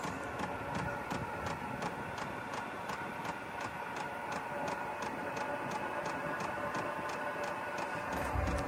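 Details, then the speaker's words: Cheap Chinese diesel heater, startup still cold with exhaust cold: steady fuel pump ticking about three times a second over a blower hum that slowly picks up, no hot air yet; normal heater startup. "This one even comes with a fancy remote control. Oo, the blower's starting to pick up."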